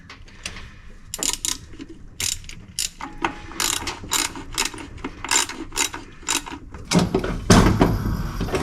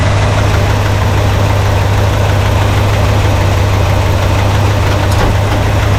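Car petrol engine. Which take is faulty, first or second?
first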